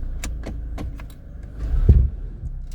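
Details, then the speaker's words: 2003 Audi A4, no transmission fault codes; clunk occurs on selecting reverse, releasing brake and pulling off with extra throttle: light clicks then one dull low thump. "escucharon el golpeteo que tiene la transmisión"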